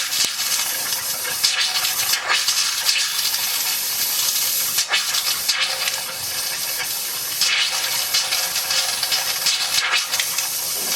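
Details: Hot water heater refilled after flushing: hissy, spitting rush with irregular breaks as the hot faucet coughs out trapped air; purging took about 10 minutes.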